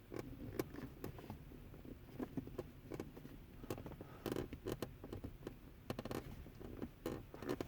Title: 2010 Tacoma Shifter Console Creaking Noise